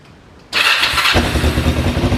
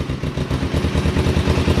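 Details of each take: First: Cheap learner motorbike project, cold start in neutral with the manual choke on. The starter catches at once and the engine settles into a slightly lumpy but even cold idle; it starts fine. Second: Cheap used motorbike on its first start in neutral, cold and on manual choke, with possibly old fuel and some smoke. Low, lumpy, uneven thumping idle that stumbles and nearly stalls, and it won't hold idle. Rough cold idle.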